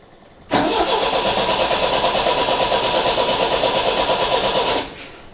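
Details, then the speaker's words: MGB with 1800cc engine, first start attempt after sitting a few years: about four seconds of rapid, even starter cranking that stops abruptly without firing; crank no start, owner suspects an airlock or blockage in the fuel line. "i think there's like an air an airlock somewhere in the fuel line"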